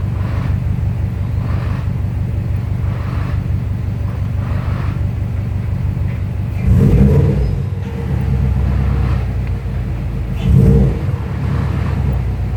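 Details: 2002 Subaru WRX with new Competition Clutch lightened flywheel and clutch kit, TSK2 throwout bearing, Torque Solutions mounts, under 200 miles: steady rumble with loose uneven rattle swelling when pressing the clutch, louder once warm; fixed by adjusting the clutch pedal.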